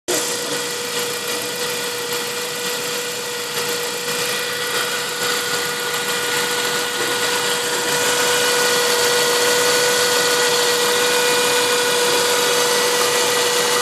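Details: Saab 9-5 turbo engine, turbo 10,000 km old, running E85, not fully cold (about 30 °C). Idle carries a steady, fairly high whine over a quick, even ticking; the owner has no idea where the sound comes from.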